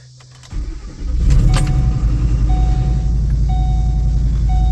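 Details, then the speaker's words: 2007 Ford Expedition 5.4L V8, 206,000 miles, just started after bypassing the leaking rear heater core: cranks and catches, then a thin high chirp cuts in and out over idle; start-up noise said to be nothing of concern, exhaust manifold noise also noted. "All right, don't mind the initial noise you're gonna hear. I'll do a whole video about what that noise is, but it's nothing to be concerned with."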